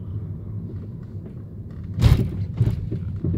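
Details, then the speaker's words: 2011/2012 Mercedes E350 W212 test drive on rough road, stabilizer links replaced two months earlier; loud driver-side knocking, heavy thuds over bumps sounding like something loose: suspension clunk from loose stabilizer link nut. "와, 소리 크다. 운전석 쪽에서 소음이 나요. 지금 보시면 오, 장난 아니다. 이게 지금 소리가 그러니까 뭐가 풀린 것처럼 그런 소음이거든요."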